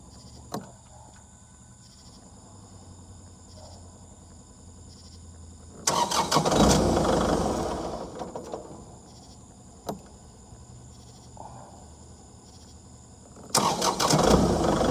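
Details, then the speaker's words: Kubota MX5800 tractor, two long cranking bursts that never catch, starter sagging as the whole dash loses power; failing ignition switch, being replaced. "the tractor was when i would crank it the whole dash would die like if it was losing power somehow"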